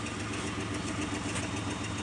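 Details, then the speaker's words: Mitsubishi Montero petrol engine, not a cold start, idling smoothly on its own with no pedal, no longer shaking as when bought with a misfire-like shake; an exhaust leak is also audible. "truck is sitting and it's running and it's idling on its own no to pedaling"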